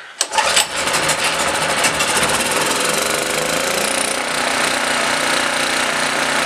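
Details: Blue Max Gen4000B generator, sat for years, carburetor replaced and gaskets tightened, air filter off; runs on half choke, no go on full choke; owner suspects too much air without the air filter.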